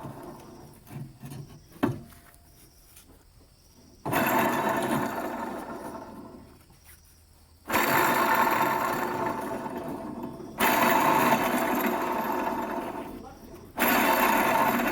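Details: Rough, gritty grinding that surges and fades over a few seconds, repeated; a worn wheel bearing is suspected but not confirmed.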